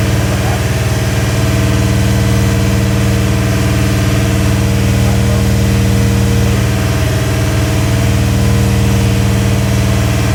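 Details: Rebuilt Ford 351 Windsor V8, first start break-in, 10:1 compression, Edelbrock heads, mild Howards cam, Autolite 4300 carb: steady, even low rumble at fast idle with no knocks or ticks; running cleanly.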